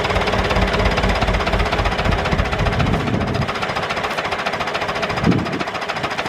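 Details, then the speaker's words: David Brown 996 diesel tractor, sitting about 10 years, first run after storage: steady, slightly uneven low idle clatter of about three to four beats a second with no misses; normal idle. "there she is it's a runner"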